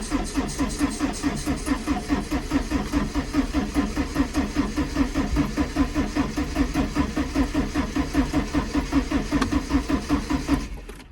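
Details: 1987 Porsche 924S stored almost 10 years, first start attempt: steady starter cranking about 2.5 compression beats a second for 11 seconds without firing; later runs very rough, spark plugs to be checked.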